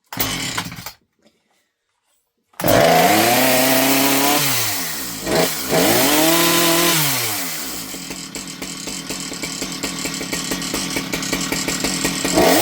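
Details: Husqvarna 455 Rancher chainsaw, previously bogging, after swapping the misrouted purge and fuel lines that flooded the carburetor: catches quickly, revs up cleanly and drops back, then settles into a steady, even idle; runs healthy.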